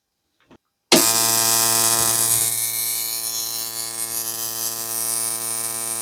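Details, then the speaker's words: Replica (Nachbau) Simson/MZ ignition coil on a Bosch spark-gap tester gives a sharp, even spark crackle, strong and steady at 10–12 mm with no dropouts. Misfires begin only at 13 mm, stronger than the original DDR coil. "Also jetzt gehen wir auf 10 hoch. 10, 11, 12, immer noch knallehart und satt."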